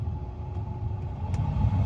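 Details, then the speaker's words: Ford blower motor after replacing blower resistor (3F2Z-18591-AA) behind glove box: even low whoosh of air with faint steady hum on low speed, no rattle, scrape or squeal; blower runs smoothly on all speeds after the fix. "so make sure that it's not in good and you can already hear the motor running so that's your one that's your two"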